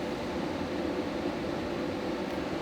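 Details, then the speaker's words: Repaired unit with the lid on: soft, steady fan whoosh with a faint hum and no rattle. The cooling fans run normally and are quieter with the lid on, though still considered too loud. "it's even quieter with the lid on"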